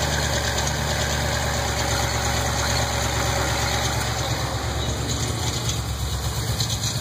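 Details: GM LS2 V8 at idle: a light, uneven tapping of about three a second over the exhaust rumble; owner suspects lifter knock, unconfirmed.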